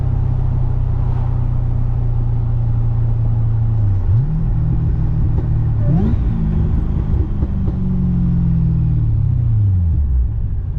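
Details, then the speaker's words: GTO after replacing the differential bushing/mount, cruising with throttle lift-off and reapply. Steady low drone, engine note dips and picks up, with none of the former metal-on-metal clunk; driveline sounds tight and healthy. "I love that you can let off the throttle now and not have that wicked clunk that sounded like metal on metal, but I guess if that diff bushing was worn out, it probably was hitting metal on metal."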